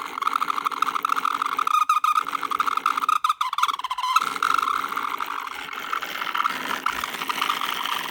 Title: Broken laptop fan sounds like a high pitched distorted fart with vibrating noise under it